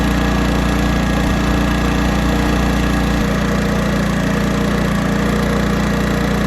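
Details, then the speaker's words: 1980s Honda generator, hard-starting fuel issue, carburetor mixture screw just re-tuned between rich and lean: steady, even beat about three per second holds under load with no surging or hunting; running properly after tuning. "all right this is still running good under load this thing here I'm gonna call it done"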